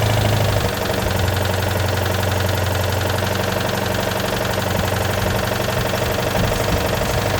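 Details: Citroën 2CV flat-twin that wouldn't start after sitting, fuel having drained back below the pump, after priming float bowls with a priming bulb: even, steady idle with soft regular beat, no misses or stumbles; normal idle.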